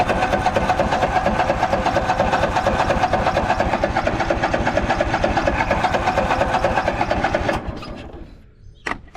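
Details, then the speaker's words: Craftsman DYS4500 mower, 26 hp Courage engine, sat over a year, new fuel filter just installed: steady cranking about seven seconds, never fires, fuel starvation; owner suspects too little gas on an incline, fuel pooled in one tank corner, or fuel pump. "Nothing. Let's put some more gas in it. Maybe maybe that was the problem the whole time."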